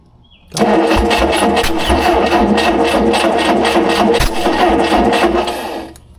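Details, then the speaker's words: Rare experimental four-cylinder big block, first start in about 15 years, ignition timing being adjusted: catches under throttle, runs rough and uneven for about five seconds, then dies despite fuel delivery; timing suspected. "I was giving it throttle. Okay. It's shooting fuel. I don't understand why it's not staying running then."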